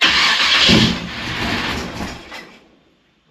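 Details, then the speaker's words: 1955 Chevy Nomad's high-compression small block with a big Holley, three-inch headers/pipe and glass packs starts quickly with a loud raspy exhaust bark and settles before cutoff. Normal start and idle. "man this thing sounds good it's got Fender Wells and uh three inch headers or three inch pipe with uh worro glass packs off a stock car"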